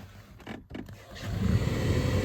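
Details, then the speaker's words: 2016 Toyota 4Runner blower fan after removing a leaf from the blower motor: handling clicks, then a smooth, even whoosh with no ticking or rattle, quiet and fixed. "Oh yeah, nice and quiet. Sweet."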